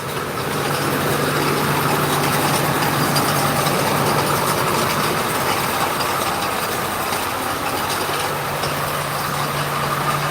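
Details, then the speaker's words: 2001 Ford F250 7.3L diesel running after sitting a while: steady, even idle with light regular injector clatter, no misses or knocks; normal diesel idle, though a bad pulley is mentioned. "Yeah, diesel supposed to be noisy. I love this noise. Let's get down here. That's the good noise."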